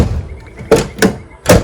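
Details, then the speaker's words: Toyota Corolla Twincam front door, after a repair with a cut cable tie glued in place: three clean, solid thuds as it shuts with a light push, latching at once with no rattle; it previously had to be slammed. "Nah sudah ee cukup effortless."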